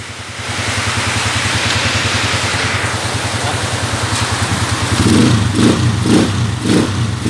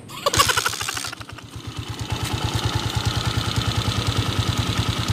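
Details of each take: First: 2010 TMX155 motorcycle, formerly noisy with a ticking and meow-like sound, after adjustment: single cylinder revving in steady bursts with a clean, even exhaust beat and no whine; smooth, healthy running. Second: 2010 TMX155 motorcycle engine at idle in neutral: steady lumpy idle with a sharp even tick on every beat, very noisy top end, cause not yet pinned down; engine ticking at idle.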